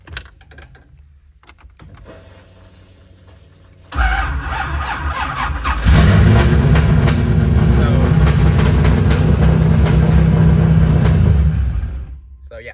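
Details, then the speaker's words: Nissan 350Z with an LS V8 swap, running on E85 with a tune still being refined, after a fixed 12 V ECU power wire: starts at once, blips and settles into a steady, even, healthy idle; normal start and idle. "she fires right up uh sounds really really healthy right now it is on e85 right now"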